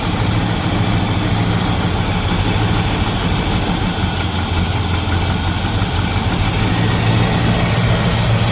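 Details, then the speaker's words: 1975 El Camino V8 idling cold after a new carburetor was fitted, revived after 10+ years off the road: deep, steady burble, even firing, no stumble, miss or tapping. Normal idle. "Running pretty good now. Huh? Still cold."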